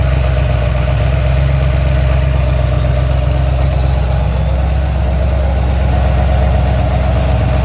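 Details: Ford XC GXL under restoration with a 351 V8, cold and warming up: a deep, even V8 burble at idle with a steady rhythm and no ticks, knocks or misfires. A normal idle.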